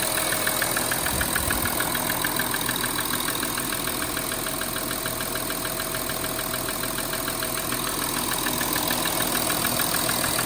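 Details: 2013 Audi Q7 3.0 TDI 245PS diesel idling cold with steady sharp ticking about three per second, stopping at 90° operating temperature; loudest top end driver's side near EGR cooler vacuum actuator; lifters and rockers ruled out, injectors probably not the cause.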